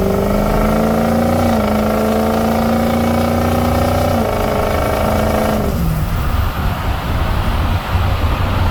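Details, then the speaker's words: 6.0 Powerstroke diesel, fully warmed, driving with VGT switch on: clear steady turbo whistle holding pitch under load, stepping with each shift, dropping as throttle closes; normal turbo spool. "Right now the turbo is on, you can hear it."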